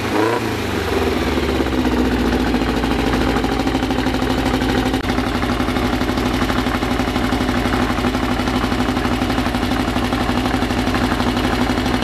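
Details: Freshly assembled 2054 engine on its first start after nearly a year of building, carbureted. A steady, even fast idle near 1200 rpm with a light gear whir, running smoothly; the idle is kept high for break-in and may be lowered later. Normal.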